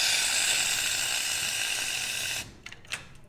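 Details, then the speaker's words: Espresso machine steam wand purged with the knob turned fully open and a folded towel held over the wand: a loud, steady, high full-pressure steam hiss for over two seconds, then a clean cutoff. A normal steam wand purge before steaming milk. "and to turn on the steam one you're gonna want to turn it on all the way right now we're gonna purge it"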